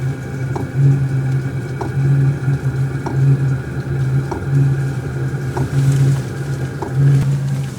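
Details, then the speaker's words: VEVOR compact diesel heater on fan setting 1, blowing hot air, with the microphone placed down near it. Over a low fan hum, a soft, even tick comes about every 1.25 seconds from the fuel pump, which is normal and more noticeable at low fan speed. "So I currently have it on a 1. It is blowing warm air, hot air obviously, and you can hear the tick because the fan is low."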